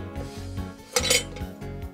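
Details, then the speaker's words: Drip torch shaken to free its air-flow check ball, which can stick or gum up and stop fuel flow; light metallic clinks and rattles show the ball moving freely. "there is a ball bearing mechanism that allows air flow to coming in out and sometimes they get stuck or gummed up and that will release that ball bearing you can sometimes hear it in there when you shake it"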